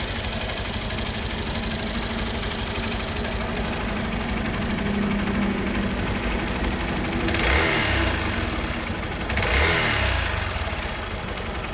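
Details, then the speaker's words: Hero Xpulse 200 single, idling before valve clearance adjustment: light fairly quick tapping over exhaust hum with two short blips; excessive valvetrain tick from loose valve clearance. "so this is the sound of the expose 200 before the vowel Florence adjustment"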